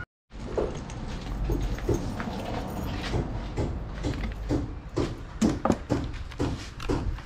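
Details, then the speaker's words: Stihl 20-inch chainsaw, new, returned by a customer: uneven sputtering bursts about two per second and no rise in revs on throttle; rough, bogging two-stroke caused by a damaged crankshaft and flywheel. "Bali ito, pag pinandar mo humahagok siya, tapos pag ipigain mo ang kanyang gasolinador, hindi siya magtataas ng RPM, humahagok siya."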